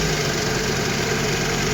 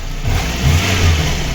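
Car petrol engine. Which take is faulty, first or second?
first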